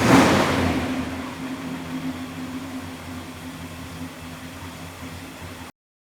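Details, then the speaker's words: 1964 Ford Galaxie 500 XL, 352ci V8, Holley 4-barrel, manual choke, cast iron manifolds, dual exhaust: loud start-up flare settling to steady low even idle with soft rumble, no knocks or ticks; normal start-up and idle. "Later in the video we'll start it up and you can kind of hear the car. It's not super loud but has a nice little rumble to it."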